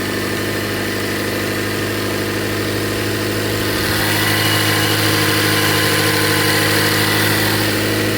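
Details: 2017 Range Rover Evoque, four-cylinder turbo, over 163,000 miles, after a repair for an intermittent misfire: smooth, even idle with a steady low hum and no stumble. The repaired cylinder's scope waveform now matches spec (6 A versus 4 A before).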